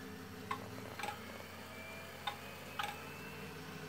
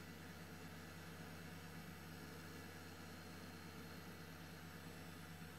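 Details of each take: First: Old retro PC at power-up: steady fan hum with sharp paired clicks every second or so, failing hard drive click of death. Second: Old Highscreen retro gaming PC, power button just pressed: soft, steady low hum of fans with a couple of faint drive clicks, even and quiet. Normal fan and drive noise.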